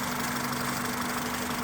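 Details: Car that had misfire codes on all cylinders (P0300–P0304) after driving through deep water, after replacing cracked coil packs: even, steady idle with a constant low tone, no stumbles or misses; normal idle.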